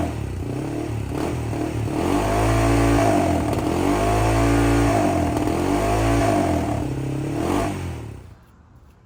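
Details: 2007 Honda 400EX single, bogging at full throttle, needle clip moved from third to second position with no real gain, 155 main jet; revs flatten and sag in waves instead of pulling clean, still bogging rich, main jet to go smaller (120).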